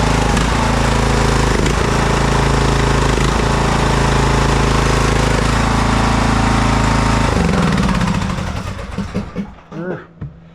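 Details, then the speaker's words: McCulloch M195-42T riding mower, 19.5 hp Briggs & Stratton single with a Nikki carburetor, cold. Its thump swells and sags every second or so, a surge that may fade once it warms a little. "I noticed that thing is uh it's got a surge to it let's fire it up see let's fire this thing up and I'll show you"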